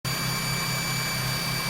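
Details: 2002 Nissan Altima after an engine swap, at idle: a constant, high-pitched whine over the idle from air sucking past a loose intake manifold gasket, found with brake cleaner; power steering and alternator were ruled out.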